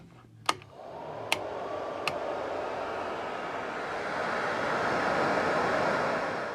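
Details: Heater blower fan on a RWD Mk2 Scirocco 1.8T 20v build with newly done accessory wiring. A few switch clicks, then the fan spins up to a smooth, steady whoosh with a faint even hum: normal blower.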